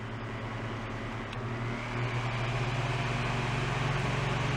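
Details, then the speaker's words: Fan switched back to high on the Schumacher SJ1332 jump starter's inverter: steady low hum and even whoosh as blades spin up, no buzzing or stutter; runs without trouble. "So, we're having no trouble running"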